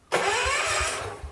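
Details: Mid-70s John Deere 110 garden tractor rescued from scrap, cranking while watching the ignition points before cleaning them: steady cranking, regular chuffing about three per second, starter turns freely but never catches; cause not yet confirmed.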